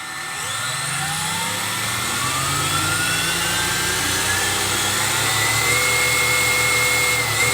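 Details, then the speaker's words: Tamiya XV01 RC car, brushless, near full throttle; high electric whine climbs smoothly as wheels spin up over a loud cooling-fan hiss, no clicks or grinding from the belt drivetrain, healthy. "on est quasiment à fond alors le ventilo qui est dessus il fait du bruit mais la transmis en elle-même elle fait pas de bruit du tout"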